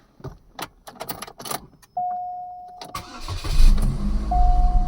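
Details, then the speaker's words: 2006 Chevy Cobalt with P0068/P0106 MAP codes and random misfire codes, MAF, MAP, coil and upstream O2 sensor replaced: a few clicks, a short crank, then a clean catch into steady, even cold fast idle; it runs fine cold until idling down warm. "when it's cold and you first Crank It Up uh the thing runs great until it idles down because it's warm"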